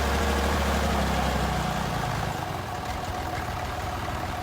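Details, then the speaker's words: Massey Ferguson 308 loader tractor, diesel, running after sitting 14 years: steady chug around 200 beats a minute, even and strong with no knocks; steering not working but reverse works, a few bugs to sort, engine sounds strong and healthy. "Looks like it's going to have a few bugs to work out, but overall sounds like a pretty strong running little tractor."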